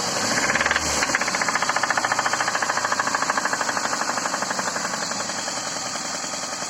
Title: Запуск двигателя ваз-2111. Стук в двигателе